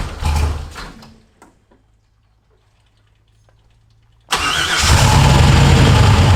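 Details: Ford F100 with swapped turbo LS1 V8 (Holley), started after adjusting the throttle butterfly stop screw to raise idle off the idle air control motor: brief crank and pause, then catches and settles into a firm, steady idle; normal.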